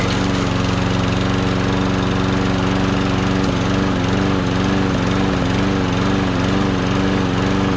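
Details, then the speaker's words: Push mower engine: small single-cylinder running at steady speed with even buzzing note and slight surge; runs fine, may need a quick carburetor clean. "see engine runs sounds pretty good too"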